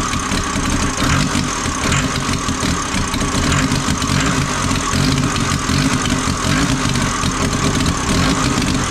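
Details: Ford Transit 2.5 diesel, first start after engine reinstall: lumpy, uneven idle with wavering note; owner suspects an air leak in the fuel system, possibly old rubber hoses near the tank, not yet confirmed.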